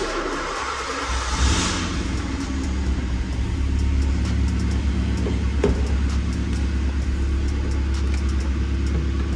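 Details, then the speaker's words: Skoda Fabia 1.2, high mileage, misfiring, needing coil packs, cold start right after fitting new exhaust back box and bracket: catches into firm, slightly busy cold idle with low rumble, a bit loud from cold; no puffing or ticking, no exhaust leaks. "why actually know it's all right it's not Le it it's just cold [Music] start yeah no exhaust leaks there"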